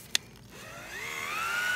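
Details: KitchenAid/Whirlpool refrigerator ice dispenser auger motor, after tapping it loose and spraying lubricant: a single tap, then a motor whine climbing smoothly in pitch and settling steady; the previously stuck auger motor now spins freely.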